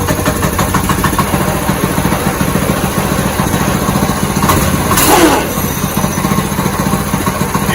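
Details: New 6.5 hp Ironton single-cylinder engine swapped into an old go-kart, first start: catches and settles into a quick, even putter with steady rhythm, no knocks or misses. Normal idle.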